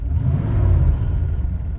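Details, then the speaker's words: 1988 Mercedes 560SEC, M117 V8, idling at 650 rpm after repairs with some vacuum leaks remaining, accelerating in drive: a deep, even rumble pulling up smoothly with no misses or knocks; healthy and responsive. "That's acceleration. Mighty M117. This is 117 old school. Yup, picks up pretty well in drive."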